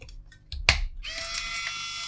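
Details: Fujifilm Instax Mini with the flashing-orange-lights fault, powered on after a suspect chip on the main board was replaced: a few small clicks, a sharp snap, then a steady high whir as the lens motor drives out. Lens extends normally; the chip was the cause.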